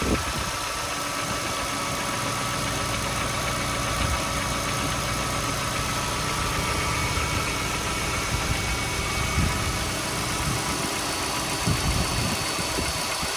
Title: Golf V 1.6 BSE engine knocking noise